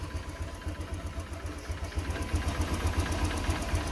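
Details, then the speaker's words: Honda Click 125 FI scooter that sputtered and stalled, idling after spark plug replacement and slight air screw adjustment: steady single-cylinder putter at about four beats a second, even, no sputtering or dying; idles normally now. "Ayan yung tunog niya. Pag hindi na guys na huminto, namatay, so gusto sabihin talagang iiwan na natin to."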